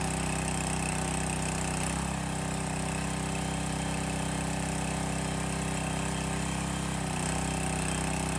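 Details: Landworks 20-ton log splitter's small single-cylinder engine, restarted after topping off the hydraulic reservoir, before test cuts: even beat with steady pitch and no misses or knocks; runs healthy.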